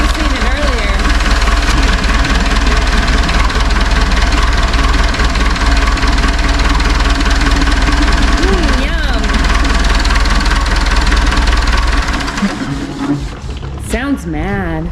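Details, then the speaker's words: Cat forklift Perkins 4.236 diesel idling with radiator cap off: rough, uneven pulse with hissing blow underneath; severe combustion pressure leak into cooling system, bad head gasket or cracked head suspected, to be confirmed on teardown. "but I'm going to show the world what it looks like when you have a really bad combustion chamber pressure leak into the cooling system"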